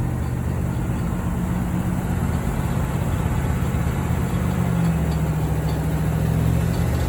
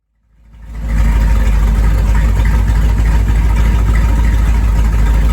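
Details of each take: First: 1973 Corvette V8, first drive in 5 years, shakedown: steady low V8 rumble with rough uneven churning underneath; loose power steering pulley that wiggles, pump possibly run dry, no power steering assist. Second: 1973 Corvette, first drive in five years: engine fires and holds a deep, even V8 burble with steady beat and no tapping; normal, healthy idle.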